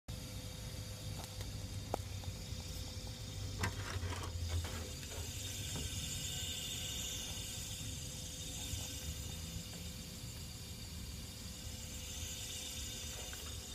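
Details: Electric fan makes a faint steady hum with a fizzing hiss whenever it is plugged in, even when manually stopped and not spinning; noise disappears when unplugged. Electrical noise from the fan suspected, not confirmed.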